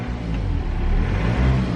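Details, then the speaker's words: BMW just after a turbo rebuild and replacement, with no warning lights on. Throttle blip swells up smoothly with no whistle, rattle or stumble; revving nicely, normal healthy revving. "Revving nicely. So yeah, so far so good."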